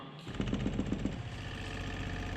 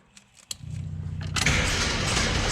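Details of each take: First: Abandoned Jeep with newly rigged fuel system, electric fuel pump switched on: low steady buzz with a few quick pulses, then an even hum; fuel pump running normally, pushing fuel to the carburetor. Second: Abandoned Jeep with new fuel system, starting fluid in the carburetor: starter churns, engine catches in rough uneven coughs, backfires and pops, never runs; sputtering no-start, owner thinks timing is fine and carburetor is getting fuel.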